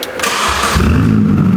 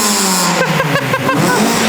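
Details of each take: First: Mini before its MOT, exhaust removed and running on the downpipe only, out of gear, before the new exhaust is fitted: brief crank, then a loud, raw, crackly bark as it settles. Sounded good at idle. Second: Mini revving just after its new exhaust back box was fitted for the MOT: the engine rises and falls smoothly with a few sharp pops on the overrun. A healthy engine with a free-flowing back box.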